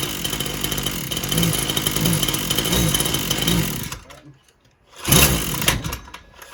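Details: Husqvarna 122LK trimmer after carburetor parts and gasket were replaced: buzzes steadily, then drops to near silence and picks back up, the same problem as before, as if losing ignition; owner is not convinced it is fuel related.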